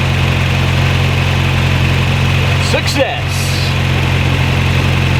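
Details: VW Mk1 Caddy after replacing distributor cap and rotor arm (HT leads not yet replaced), first start: steady smooth low idle with even hum, no stumble or misfire. Normal idle.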